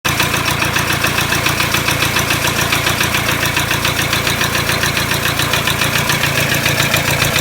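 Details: Toyota Hilux D-4D 1KD-FTV diesel at idle: sharp, even rattling knock about three to four times a second over diesel clatter; disconnecting each injector didn't stop it, knock reduced on cylinder one; owner suspects cracked piston, unconfirmed.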